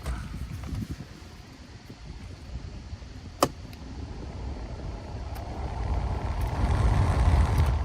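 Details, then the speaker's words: 2008-2012 Ford Escape HVAC blower after blower motor resistor card replacement (speeds 1-3 previously dead, 4 worked): low steady fan rush building as speed steps up, no squeal or ticking; now works on all speeds, normal. "And now it works on all speeds."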